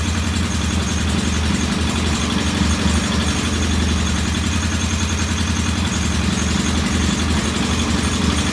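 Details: Norton P11 vintage British motorcycle twin, first start after carburetor fully disassembled and old dead gasoline replaced with fresh; lumpy idle with uneven beats and occasional stumbles; one carb's pilot jet not following adjustment like the other, suspected partly blocked.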